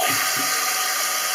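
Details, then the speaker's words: Toilet cistern refilling after the float is pressed down: steady, loud hiss of water rushing in through the open fill valve, the same noise heard when the cistern leaks and keeps topping up. "il se remet à niveau. Et ça fait du bruit quand ça fuit. Hein. Ça fait un petit bruit comme ça."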